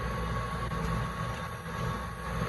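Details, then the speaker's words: Duke multi-cabinet refrigerated drawer cooler, 120 V supply, after electrical repair with pressure sensor cutting out at 425: fan, solenoid and compressor running with a steady, even low hum and faint tone, no knocks or rattles; normal running. "re-plug her in and then we can let her safely run there she goes fan solenoid compressor all right"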